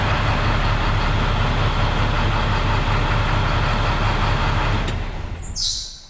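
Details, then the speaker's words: International WorkStar diesel truck after stuck-on exhaust brake (suspected stuck flapper in exhaust) had caused ~500 rpm low idle and no rev-up; now steady, even low idle with smooth regular beat, no misfire; running normally. "i'm willing to bet that we're going to run fine so i'll have to figure out what i'm going to change i might have to change the whole thing i think it was probably stuck probably inside the exhaust it's probably a little flapper that's stuck"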